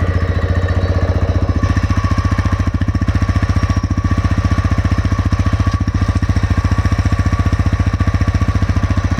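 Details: TVS Raider 125 cc engine at steady idle with a sharp, even top-end tick about 220 per minute over the exhaust beat; knock attributed to tappet problem (delayed valve opening/closing), not confirmed.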